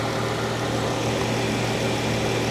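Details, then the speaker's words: 2022 Dodge Charger GT V6 at idle, damage did not affect the engine bay; smooth, even idle hum with a steady low note and no ticking or stumbling; normal idle, runs good. "Yeah, this is just your old V6. Nothing fancy, but it does run good."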